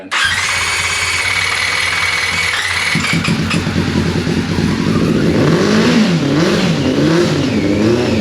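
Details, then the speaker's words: 1999 Yamaha R6 four-cylinder carbureted, first cold start in 10 years on jump pack and external fuel tank: uneven, lumpy, stumbling idle, running on three cylinders; one carb leaking fuel; cause unconfirmed. "now obviously the bike is sounding a bit rough like it's running on three but a start is a start and it's one thing off the list"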